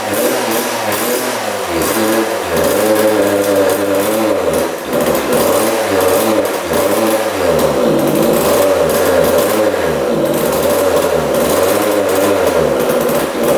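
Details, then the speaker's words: 1999 Suzuki RM80 two-stroke with an unplugged silencer: revs surge and sag, never steady. It backfires, runs erratically, then won't refire; the carb is suspected of not getting gas. "it's acting really weird though h now it won't fire back up yeah it's acting really really strange"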